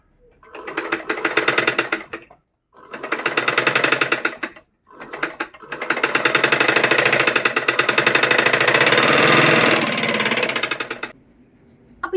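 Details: Single-needle sewing machine running; bursts of fast, harsh clattering about four knocks a second, traced to a loose nut and bolt under the handwheel.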